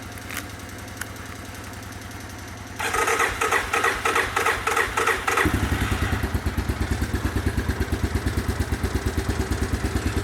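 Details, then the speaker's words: Cold start on old battery of a single-cylinder machine whose float sometimes sticks: quiet ticking, brief crank, then a steady even thump; fires right up, choke held manually because it's worn out. "Fired right up. This one I'm going to have to hold the choke manually because it won't hold itself because it's wore out."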